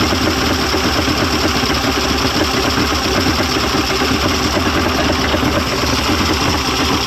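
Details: 1995 Mercury 200hp XR6 Blackmax two-stroke outboard, after timing adjustment and clearing carb jets: even steady burble, no misses or surging, sounds ready to run; much better than yesterday, normal idle.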